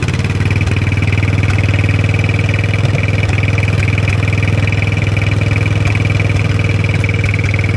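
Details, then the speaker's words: 1960s Caterpillar pony (starting) engine just after carburetor cleaning, running at mid throttle on a roughly 30-second run, not yet warm: steady even beat with no misses or stumbles; runs really good. "that was a great success awesome it sounds like it runs really good"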